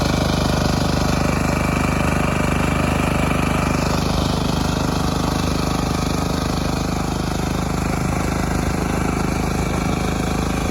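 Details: Lifan C192F single-cylinder engine on a mini tractor built from a LuAZ, after a key (шпонка) repair: steady, even thump at constant speed with no knocks or slips; normal running.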